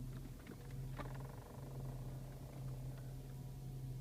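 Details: 2008 BMW X5 E70: a quiet, steady low hum with a faint irregular tick from the dash, heard with the blower fan on low and gone when the fan is off; blower fan noise, cause not yet found.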